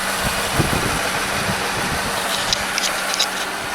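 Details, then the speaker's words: 2003/2004 Mercedes-Benz C230 Kompressor at idle. Uneven, stumbling beat with occasional missing thumps from a misfire on cylinder 4 (rearmost), caused by a faulty fuel injector that is replaced. "Mercedes-Benz um C230 with a compressor. Um, and it has a misfire in it. It's a C230 right there. And uh we got a misfire on cylinder number four."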